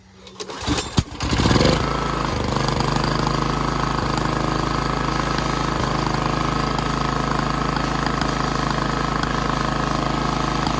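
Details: Generator engine after tightening the choke and adjusting governed idle, switch now on: catches after a brief crank and settles into a steady, even run with no misses or surging; healthy governed running, aiming for about 61.5 Hz.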